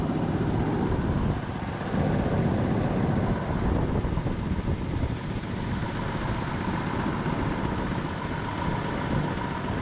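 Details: Jeep Cherokee 4.0 first run after rebuild and reinstall, injector O-rings replaced; rough uneven rattle over steady idle; last two bellhousing transmission bolts not yet installed.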